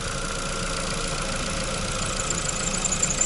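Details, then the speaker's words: Ford Focus 2 at idle with heaters switched on: steady high-pitched squeal over calm idle under electrical load, worn alternator belt slipping; silent once heaters are off, belt then replaced. "Обогреватели выключены, и всё. Тишина. Ремень скрипит под нагрузкой."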